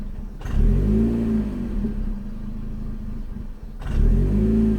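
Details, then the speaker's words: 2006 Chevrolet Cobalt SS idling during the relearn after a throttle body replacement: the idle still surges up on its own and settles, less than before, when it flared to about 2100 rpm. "okay it's still it's still bouncing [Music] not as bad though maybe it is working I don't know I think it's working because before it rev all the way up to about 2100"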